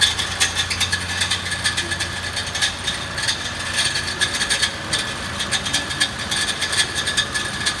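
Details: 2014 Mitsubishi Pajero Sport: harsh metallic rattle and grinding from start-up, rising with revs and briefly vanishing; one of six torque converter-to-flywheel bolts had backed out and was rattling inside the bellhousing, its thread damaged.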